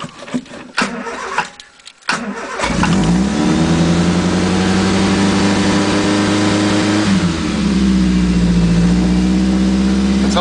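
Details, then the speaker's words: 1980 Triumph Spitfire 1500 with a Weber two-barrel, just started on a freezing day: it catches and races to a very high, steady idle of about 2,500–3,000 rpm, rising then holding; a high fast idle while cold. "you just love the incredibly high"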